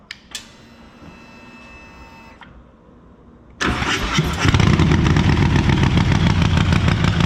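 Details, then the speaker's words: Stone-cold start of a 131ci Harley Breakout V-twin (just over 140 hp) after pushrods were preloaded 100 thou and bled down. A brief starter whir, then a loud, steady loping idle. Normal cold start and idle. "So let's fire it up for those who haven't heard it."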